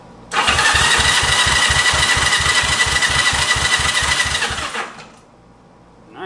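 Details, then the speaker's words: 1965 Honda CB77 Super Hawk 305 twin, in neutral on the lift, cranked on the electric starter for five to ten seconds to circulate oil. Steady, even cranking at about three beats a second, no catches or grinding. Normal starter cranking. "so I'm going to turn it over for probably five or ten seconds get some oil circulating around in there"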